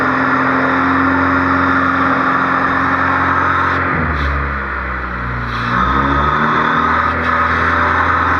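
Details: High idle on a Honda Civic D16Z6 whose pitch drops and swings before climbing back; surging idle from extra air past a misadjusted fast idle thermo valve, not the idle air control valve.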